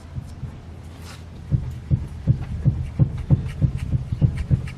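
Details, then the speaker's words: BMW E36 drift car with the wheel in the air, rocked side to side. Dull low clunks about three per second; the worn lower rear trailing arm ball joint is moving in and out. "you can hear it yeah you can definitely hear it if you put your hand on the ball joint you can feel it moving in and out"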